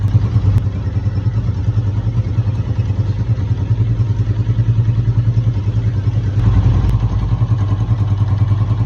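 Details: Bike clutch noise: steady idle with a loose, uneven clatter riding over the engine beat, coming from the clutch.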